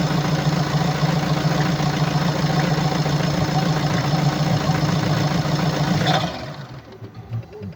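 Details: 2017 BMW 525d F10, N47D20D 2.0 diesel, 218 PS, 138,035 km, at idle: hard, rhythmic clatter about three or four knocks a second, caused by defective injectors and defective swirl flaps.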